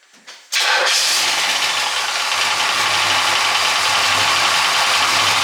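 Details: Car engine catching and settling into a fast idle with a busy, rattly "popcorn" clatter over the running note. Rattle inside the engine, cause suspected, not confirmed; the water pump was replaced unnecessarily while diagnosing.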